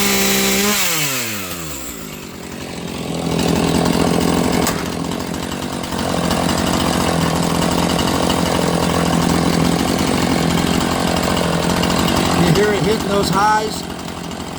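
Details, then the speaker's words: Chainsaw (E450 Rancher, 18-inch bar) on different fuel, revved under the cut at less than half throttle: snaps up from a falling rev into a high, clean scream and holds it. Owner says it probably runs 500–600 rpm higher than on other fuel; crisp, strong running. "I mean I wasn't even that wasn't even half throttle it just screamed really a huge difference"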